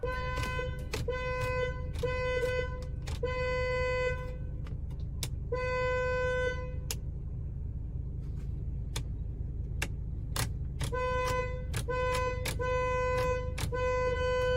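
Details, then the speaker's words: A customer reports that the car horn honks whenever the headlights are used. Repeated short honks at an uneven pace over a steady background hum; the horn sounds when the headlights are switched on, cause not identified. "this customer brought their vehicle in stating that whenever they use their headlights their car horn honks"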